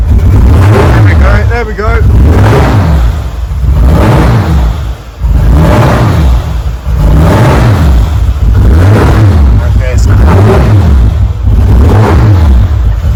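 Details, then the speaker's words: VW Mk4 R32 twin turbo on first start with new equipment and PMU, starting then dying: revs surge and sag in slow waves about every 1.5 seconds, running really badly; owner suspected an air leak or overfueling. "so we've got it running um obviously it's running really really bad sounds like there's um some sort of air leak or I personally think there might be too much fuel going to the injectors"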